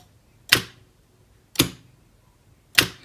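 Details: Star/delta forward/reverse motor starter on an FX5U PLC, relay outputs bridged by hand: three crisp single clicks about a second apart, clean with no buzz or chatter; contactors pulling in properly.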